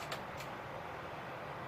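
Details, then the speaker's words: Iomega Zip drive with a disk inserted: faint whirr broken by sharp, irregular seek ticks; same behaviour seen in another drive, so the disk itself is suspected, possibly the infamous "click of death" of the late 1990s. Cause suspected, not confirmed. "I believe what that might be is maybe the potential infamous zip drive click of death that everyone was all up in arms about back in the late 90s."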